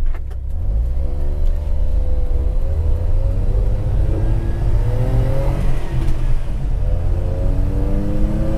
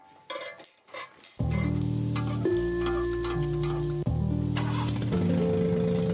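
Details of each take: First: 1990 Suzuki Carry 4WD kei truck with a modified exhaust using a WR250 muffler, pulling through the gears under load: a steady, smooth drone rises and falls with revs, quieter than before. The exhaust sounds fine. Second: 1990 JDM Suzuki Carry 4WD kei truck, carbureted, after a timing belt and water pump job, fitted with a WR250 exhaust: catches at once and settles into a loud, deep booming idle from the free-flowing aftermarket exhaust.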